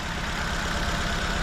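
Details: 2004 Nissan Sentra shaking: low, uneven, lumpy idle with one cylinder dropping out. No misfire codes, only an air-fuel ratio sensor code. Injector wiring pulses fine; likely a clogged injector, to be cleaned or replaced.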